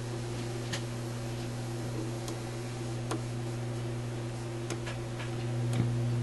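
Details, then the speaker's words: Yugoslavian-built Florida AM/FM/SW tube radio after power supply repair: steady low hum under faint ticking that gets louder with the tone control turned up; hum seems tied to a faulty volume control. Mains hum. "definitely the radio because i turned the tone up you can hear it more volume has an odd effect on it"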